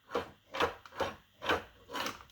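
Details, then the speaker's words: Technivorm Moccamaster KBGT 741 carafe pushed in under brewer: five harsh scraping grinds, about two per second, as the carafe's sharp lip rubs the plastic guide underneath. "it connects with a piece of plastic underneath it makes a horrible grinding noise if you can hear that"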